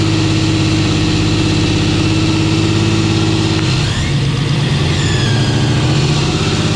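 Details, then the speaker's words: 10.3L (632 ci) supercharged big-block Camaro, just restarted after running away lean at 14.6 idle AFR: deep idle sags then picks back up as mixture swings rich to lean (about 9.0 to 14.8); rich idle surge. "so it's rich then lean and rich and lean it gets that surge"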